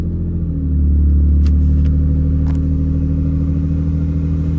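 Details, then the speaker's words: Vehicle back from winter hibernation at 11 degrees, battery tended: catches quickly after a brief crank, settles into a steady, even idle with a smooth low rumble, no misses; normal cold start. "Oh yeah, baby, she's back. She fired right up."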